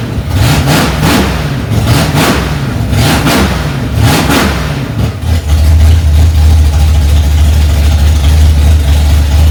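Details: 1965 Ford Mustang, freshly rebuilt 289 small-block V8 on its cold first start, mixture screws two turns out: after a few throttle blips it settles into a strong, steady fast idle with an even lope; normal.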